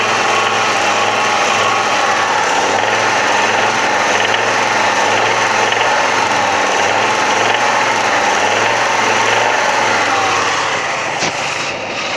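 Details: Audi 100 2.3 (NF engine) held at around 3000 rpm and above: faint quick rapping knock under the steady roar, heard more clearly under load; engine knock at high rpm.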